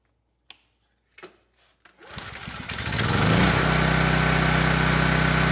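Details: Generator PM0645500 with Yamaha MZ300 engine, restarted after fixing no-output fault to reset GFCI: a few pulls, catches within a second, steady even fast beat, no misses. Healthy running.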